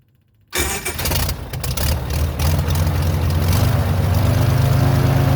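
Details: Airboat engine after carburetor base gasket fix: brief crank, then a steady, even low idle with no misses; some white smoke, owner suspects overfilled oil plus added Marvel Mystery Oil.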